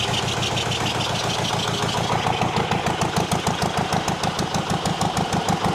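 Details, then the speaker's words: Zetor 25 two-cylinder diesel tractor, first start after full engine rebuild, no exhaust manifold fitted: lumpy, even two-cylinder beat at low idle, steady firing on both cylinders, no knocking, sparks and black smoke from the cylinders; normal running. ", the engine is running on two cylinders , it's hot gas. first start. Absolutely amazing feeling."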